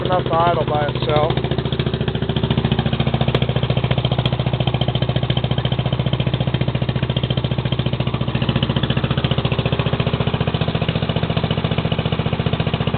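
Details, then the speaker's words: Lawn mower engine after a cold start: once warmed up it holds a smooth, regular idle by itself with no stumbling or knocking. It started easily after the throttle was opened a bit, and the owner may set the idle higher so it starts by itself. Normal warm idle. "well it's running that pretty good too yep it still sounds good I can't wait to get it finished"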